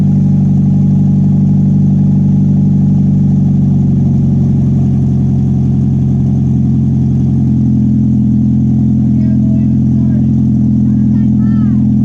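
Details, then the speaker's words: 1996 Honda Prelude Si H23A1, first start after engine install, sat six to seven months on old fuel, very loud open exhaust. Drone whose pitch wanders and sags, labouring, then it stalls; rough running, cause unconfirmed. "i can't believe it fired up it's got old spark oh that didn't sound good we killed it ah what it died"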